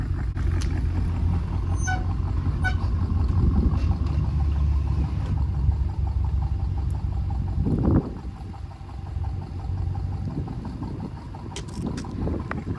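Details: 2015 BMW 650i N63TU V8 at idle, downpipes removed and exhaust flaps zip-tied open: deep, loud, lumpy idle with occasional stumbles. Misfire persists after replacing the cylinder 2 injector and trying chemicals; owner suspects passenger-side valves.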